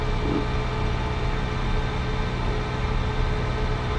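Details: Nissan Sentra that shut off while driving, idling after a blown fuse was replaced: even idle, steady low rumble with a faint constant hum and no stumbling, fuel pump running. Normal idle; owner notes the blown fuse could signal a failing pump.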